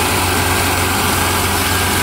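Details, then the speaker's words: 1995 Chevy S10 with manual transmission, cold start, microphone under the hood: steady, even idle with a smooth low hum and no hiss, whistle or ticking; a squeal from a bad TBI base gasket vacuum leak appears only when warm. "now that as you could hear under the hood it's perfectly fine no noises any weird stuff like that"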